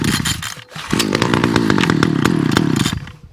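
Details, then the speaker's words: Titan hedge trimmer multi-tool small two-stroke, primed, cold start on full choke after a quick fix; fires quickly and holds a lumpy, popping fast idle; normal cold start. "uh cold start choke up turn it on right see what we get"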